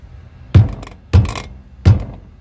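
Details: Drum brake with a loose brake shoe that has play; the noise is heard loud on dirt roads: three dull, heavy thunks as the loose piece is rocked inside the drum.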